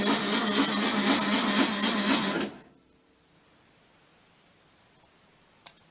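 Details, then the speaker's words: VW bus engine with very high compression on a 6-volt system, all plugs pulled and a test light on the oil pressure sender. About four even whooshing turns a second for two seconds, then silence; the 6-volt system is too weak to spin it fast enough. "so I also had to pull all the plugs out because I just can't get this thing to spin over fast enough with a six volt system so here we go"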